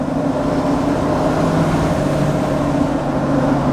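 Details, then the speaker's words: Mud-terrain off-road tires with about 5,000 miles on a truck cruising about 50 mph on back roads, windows open: even, steady low roar with no rising whine or rhythmic thump; road noise consistent, not loud. "Sound has pretty much stayed consistent the entire time. Not loud, not overwhelming."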